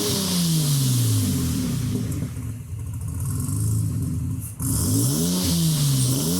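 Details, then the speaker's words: 1987 Nissan 300ZX 2+2 with new 3.5in stainless exhaust, revved to about 3,000 rpm in the garage once warm: deep, slightly raspy note rising and falling cleanly, not too loud, no rattles or blowing; normal exhaust. "well, that's pretty good. Not too loud so far. It's just here in the garage, so we'll see what it's like out on the road. But pretty satisfied. It's a little raspy."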